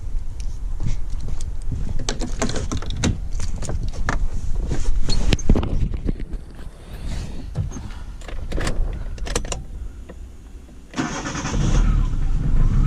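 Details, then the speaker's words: Car after starter rebuild with new brushes, battery weak; brisk, even cranking, then the engine catches quickly and settles into a steady idle. Normal engine start. "чётенько отлично заводится все хорошо"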